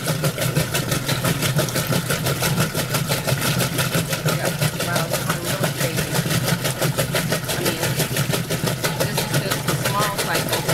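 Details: Roper washer agitating through its wash cycle gives rapid, uneven clunking, about three knocks a second as the agitator swings back and forth; clunk in the agitate drive, cause not yet known.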